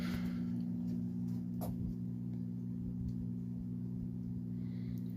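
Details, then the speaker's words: Vintage Edison infinite-speed box fan model 204016, dial lower still (0.88 A, 30.5 W): steady low electrical motor hum with a few faint clicks, even and smooth; fan motor running normally. "Let's go down the dial a little more. Let's go like the there. Kind of hear the motor humming."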